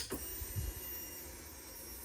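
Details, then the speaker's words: Harley-Davidson after a tune-up (plugs, oil, derby cover, reusable oil filter) with a new Interstate battery fitted at 17,734 miles, key on: a short, soft electric hum of about two seconds as the fuel pump primes normally. "Actually, let's see if the pump runs."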